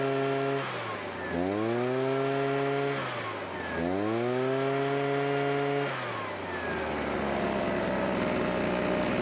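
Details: Husqvarna backpack blower, stored for years, after stale water-contaminated gas replaced with fresh gas: two-stroke rises and falls cleanly through several throttle blips, revs climbing smoothly and settling without stumbling; healthy running, no carburetor rebuild needed.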